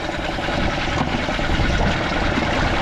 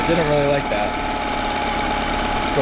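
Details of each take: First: Merc 5 outboard run in water at least 30 minutes, full throttle in forward, restarted easily, peeing good water, no hesitation on throttle; even steady beat easing off without stumbling; normal running. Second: Outboard with cowling off, idle raised slightly, air mixture screw two turns out then turned in toward 1¾–1½; idles unevenly with a wavering beat and stumbles; rough idle from mis-set air mixture screw.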